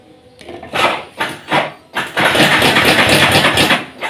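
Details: Yamaha Vixion Advance motorcycle, engine run briefly: harsh metallic clatter in bursts with throttle blips, then a steady rattle; mechanic judges the cam chain is faulty, likely a slack chain from a failed tensioner.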